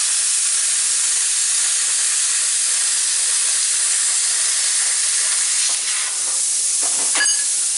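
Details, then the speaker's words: Jegs plasma cutter after repair of poorly made air fittings, one fitting still leaking air, cutting 3/16 plate and aluminum; loud steady high hiss of arc and air blast, even and uninterrupted; normal cutting. "so when it cuts these two pieces this is 3/16 plate and then by a piece of aluminum"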